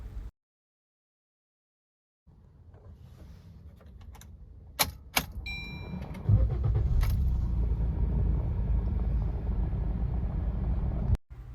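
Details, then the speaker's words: 2022 Maruti Swift petrol, about 50,000 km, with low mileage, long cranking and misfire, started after the injectors were serviced: a few clicks, then catches at once into a steady, even rumble; normal start and idle, fault blamed on bad fuel. "നമ്മൾ കണ്ടില്ലേ ഒരൊറ്റ അടിക്ക് തന്നെ വാഹനം start ആയി ആ ഒരു complaint പൂർണമായിട്ട് മാറിയിട്ടുണ്ട്"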